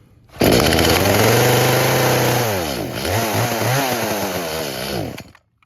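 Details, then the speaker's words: Traded-in chainsaw with new bar and chain, busted primer, started on choke: revs up, holds a low strained pitch, then surges and hunts before dying. Choke made no difference. Suspected fuel issue (tune, dirty carb or bad diaphragms). Won't idle or reach full rpm. "So yeah, definitely a fuel related issue, maybe a tune, maybe I need to clean out the carb, maybe the diaphragms are bad, but definitely have to address a fuel related issue on this one. And the choke didn't really seem to make a difference."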